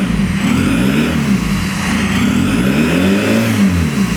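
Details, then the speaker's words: Citroën C5 diesel at 360,000 km, revved by blips: revs rise and fall while a thin, high turbo whistle sweeps up and down with them, and no black smoke appears; audible turbo spooling. "Et de là tu entends la reprise du turbo. Tu entends le turbo siffler faire. Bah tu l'entends d'ailleurs siffler."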